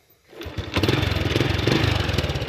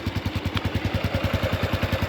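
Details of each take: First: Honda Wave 110i motorcycle after engine rebuild: starts easily, settles into a smooth quiet idle with no knocks or rattles; fault codes cleared. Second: Honda Wave 110i after engine rebuild, heard up close at idle: quiet engine with steady puffing chuff from a slight exhaust leak at the pipe, considered normal for an old bike.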